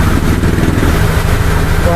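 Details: Honda Click 125i scooter after ECU reset for TPS fault with check-engine light, OBD connected, about 1500–1700 rpm: steady low putter at a fast, even idle with no stumbling or surging; normal idle.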